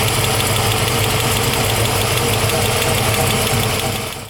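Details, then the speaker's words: A 1970 Camaro SS with a BluePrint 396 V8 and Tremec 5-speed, on its first fire in the car, runs loud and steady with an uneven knock near three per second over the engine note. This is an internal engine noise, cause unconfirmed. "we did get it fired up but uh there's a noise coming from the motor i'll show you a video of that"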